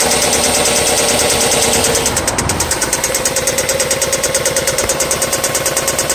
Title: Valve tick or rod knock